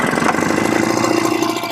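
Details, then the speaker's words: Yamamax Pro 3WF-3 14L mist blower/duster, small two-stroke, started on throttle setting 2 with fuel mix leaner than the recommended 25:1 (about 30-35:1) after carb adjustment and run-in; fires easily, steady fast even buzz, running normally before mist test. "dia nyala ya, dia nyala sekarang, sudah cukup mudah."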